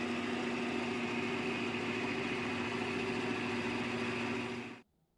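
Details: Restored vintage Delta Rockwell 15-665 drill press after a slight motor adjustment: smooth, even hum with a steady mid-pitched tone, no knocks or rattles, then a clean stop; sounds healthy.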